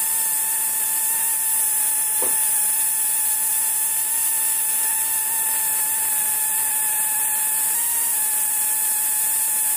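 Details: Oudin-type Tesla coil running with the coil ungrounded: constant high buzz with a thin hiss on top and almost no crackle; weak, cool discharge that heats but does not burn a lamp.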